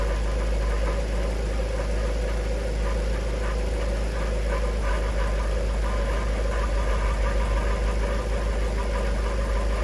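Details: Jaguar XK8 after a Transgo pressure regulator valve upgrade and fresh ATF, in gear (reverse and D4) with a burning smell: heavy idle rumble with a loose, uneven rattle about three per second. The transmission rattle persists, cause undetermined.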